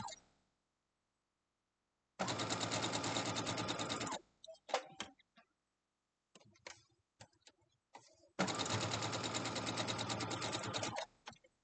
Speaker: let me know if that sewing machine is too loud i feel like and also i hear that rattling i'm not sure i might have to have it serviced because it doesn't sound very good does it